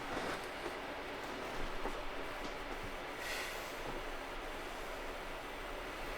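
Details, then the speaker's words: AMD RX 570/580 graphics card bought from a liquidation seller, running a 1080p benchmark at 28–30 fps: a constant airy whoosh with a few faint clicks as the fan runs hard and loud under load. "it is a quite loud of a card though um it's running the fan is pretty loud it's doing what 28 frames per second right now 30 frames per second"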